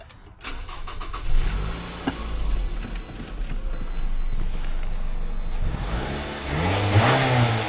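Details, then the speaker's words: Toyota being appraised as a used car: the starter catches quickly, then a smooth idle and clean rev with no knocks or rattles. Motor sounds healthy. Normal start and rev. "Motor sounds good. Expect nothing less from most of these Toyotas."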